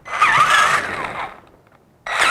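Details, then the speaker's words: Traxxas Summit RC crawler on a tabletop, diffs unlocked, transmission switched from high to low range: gear whine rising and falling with the motor, dropping away then resuming; low-range gearbox sounds smooth and healthy. "So I don't know if you can hear what was happening, but it's going to be a different sound from the transmission with it on low speed."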